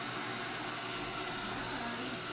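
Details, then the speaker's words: Eufy RoboVac 30C robot vacuum (1500Pa suction) pulls a shoe into its brush roll and jams; steady high whirring motor with a strained, laboring edge, no change in pace, as it tries different directions to get free. "so it pulls on it and it pulls it into its brush wheel there and now it's stuck doesn't know what to do with it and tries to get away from it"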